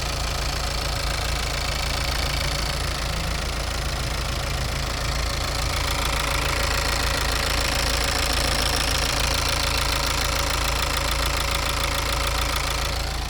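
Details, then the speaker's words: Diesel warmed to 87°C, injector corrections within +0.30 to -0.12: smooth idle with a light, even sewing-machine tick about three per second over a steady rumble; healthy injectors. "अब मैं इंजन की आवाज़ रिकॉर्ड करने जा रहा हूँ, जब वह 87 डिग्री सेल्सियस तक गर्म हो जाएगा।"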